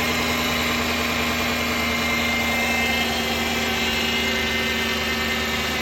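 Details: 2011 Dodge Durango Hemi V8, 115k miles, idling with a steady high whine running constantly over the engine note; source unknown.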